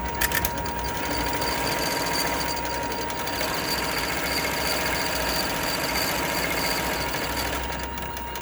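Steady high ringing tone over a fast, even clatter of about three and a half beats a second; the machine makes an abnormal running noise.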